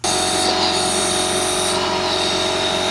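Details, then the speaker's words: Malibu boat engine on a leakdown test at TDC: 100 PSI is applied and the cylinder holds about 95, a 5% leak. There is a constant high hiss as air is felt escaping past the exhaust valve; another marina had claimed 70% leakdown. "I can feel air coming out the exhaust valve, but they said it was 70% leak down. But I can I can feel that five PSI coming out the exhaust valve."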